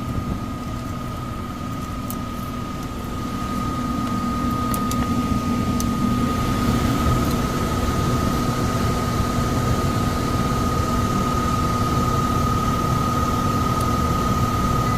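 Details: Downstairs furnace unit, call for fan not turning on, heat mode: steady loud drone, constant high hum over heavy rumbling air rush; blower shaking. Tech suspects overamping and shutting off, bearings sound clear but loud on startup; will check rated amps and capacitor.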